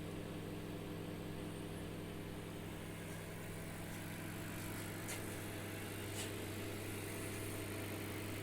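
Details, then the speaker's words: BGH microwave running normally after repair (open diode replaced) with a cup of water: steady hum plus a faint whir from the turntable motor, which is the small noise heard. "ese ruidito que hace y vuelvo a repetir es el motorcito del plato"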